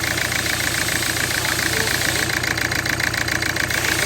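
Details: Hyundai i20 with a faulty ECM causing misfire and no power. The idle chugs with an uneven, lumpy beat about three or four per second and occasional missed firings.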